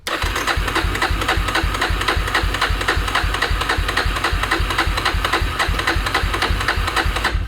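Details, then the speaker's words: 2000 Yamaha Warrior 350 ATV with new ignition modules; steady cranking at about four compression pulses a second, never catches, no spark until the unhooked kill switch was reconnected. "i don't think we have spark anymore man well let's let's uh let's check something's just it's not doing anything"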